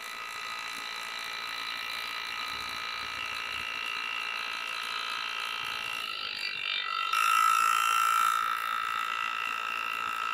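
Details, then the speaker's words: Air engraving handpiece cutting on a practice plate, unassisted feed: fast even tapping about four beats a second over steady airy hiss; runs smoothly and healthy. "so I'm not pushing at all it's just it's going on its own"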